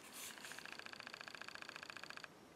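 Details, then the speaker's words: Panasonic RQ-NX10 cassette walkman, before belt replacement: fast, even ticking chatter for about two seconds, then stops dead; the transport tries to engage on closing the lid but never plays. Cause suspected, not confirmed. "you hear that so it tried to play alright hopefully you heard that"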